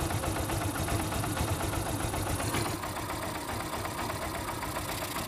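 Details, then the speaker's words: Motorcycle single-cylinder engine at idle after a timing chain/tensioner fix for a knocking, ticking noise; even steady idle with a soft regular beat and no tapping or knocking, the knocking noise gone. "मैं तुझ जैसे कि आप सकते हो जाए इस cotton का आवाज जो है वह खत्म हो चुका है वहीं ऑफिस की आवाज यहां पर नहीं आ रही है"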